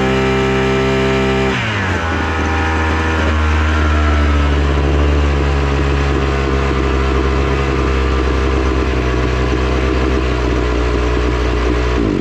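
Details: Datsu brush cutter (two-stroke), left unused about three months and brought in not starting; after repair it picks up speed within two seconds, then holds a steady high buzz without surging or dying; runs normally.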